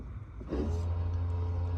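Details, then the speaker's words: Ford Focus ST225 with intermittent ABS fault and fluctuating speedo at idle, ABS module actuated by diagnostic tool test: after a short pause the pump motor holds a steady low even hum with no grinding; ABS pump running normally. "Whoa. I think that pump's all right. So, not entirely sure what's going on."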